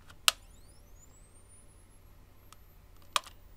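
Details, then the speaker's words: Disposable camera with its front cover removed and battery in place. The flash button pad is pressed: a click, then a thin whine rising in pitch as the roughly inch-long flash capacitor charges normally, before being shorted for sparks. "You can hear a whine as the camera charges up."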